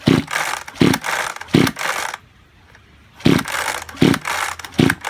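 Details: Junk Kyoritsu chainsaw, tagged for seizure and low compression: repeated recoil pulls, short rasping whirrs, no firing. Cranks but won't start; cause unconfirmed, overhaul considered.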